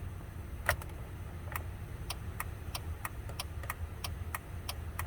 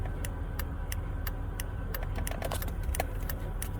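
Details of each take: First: 2000 Chevy Impala with no turn signals, a possibly bad battery and an alarm system, idling: light, uneven ticks about two to three per second. The mechanic strongly suspects the hazard switch with its built-in flasher, which works intermittently, and plans to replace it first. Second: 2000 Chevy Impala with no turn signals, after replacing the hazard switch with built-in hazard and turn-signal flasher: crisp, even relay ticks at about three per second, recorded close up; flasher now cycling normally.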